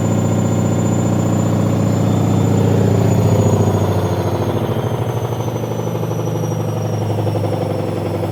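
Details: Leran washing machine on spin: heavy low thumping about three to four times a second, easing slightly as it settles, from laundry bunched to one side; drum knocking from unbalanced load.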